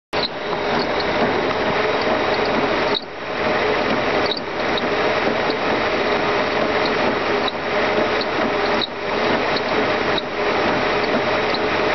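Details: Mercedes M119 engine running: a dry, continuous ratcheting rattle from a bad pulley on the secondary air pump.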